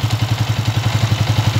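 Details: TMX 155 single-cylinder motorcycle after cam follower replacement for excessive noise: engine idling evenly at about eleven firing pulses a second, with no top-end clatter.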